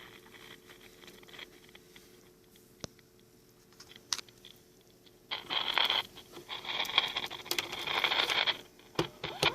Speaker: It actually works. Just bad tube sockets.